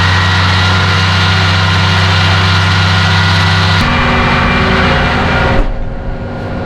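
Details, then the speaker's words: Massey Ferguson 2850M power shuttle compact tractor (48.8 engine hp, 38.1 PTO hp) running a DM164 disc mower at 540 PTO rpm, about 2400 engine rpm: steady engine drone with constant cutter hum, no knocks or grinding; mower running normally. "we'll take it up to the 540 rpms right there about 2400 and that's going to be where you operate the mower and you can open the back panel you can hear it running if it sounds like a 747 taking off it's right"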